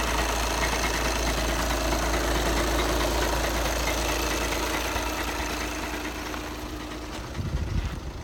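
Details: 2011 VW Passat B7 2.0 TDI CFFB 140 PS, DSG automatic, 277,000 km; diesel idle with fairly even rattle about three per second over engine note from gearbox end; dual-mass flywheel suspected, not confirmed.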